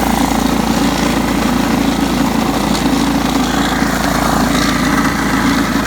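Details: John Deere STX 38 riding mower, revived with a new battery: steady, even single-cylinder drone, no misses, surges or knocks; normal running.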